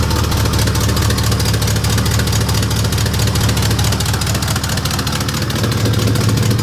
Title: Huge Exhaust leak i need to fix